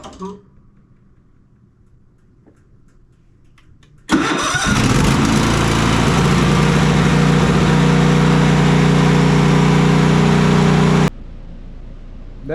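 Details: Cub Cadet Enduro XT2 SLX50 riding mower, 679cc EFI MTD engine, after intermittent no-start/stalling traced to seat switch, switch taped closed for test: short crank catches at once, steady idle about seven seconds; runs normally.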